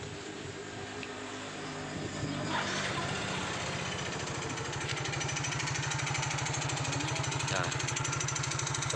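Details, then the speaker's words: Yamaha Mio GT scooter at idle: light, fairly regular clatter about three knocks a second from the rear engine/gearbox area, loudest at idle and off-throttle, fading at high rpm; gearbox or CVT setting suspected, unconfirmed. "kletek nya terdengar sekali temen-temen tekek pada saat lepas gas nge-tag ya pada saat hujan malah hilang Hai Nah jadi pada saat digas RPM tinggi dia mulai agak menghilang"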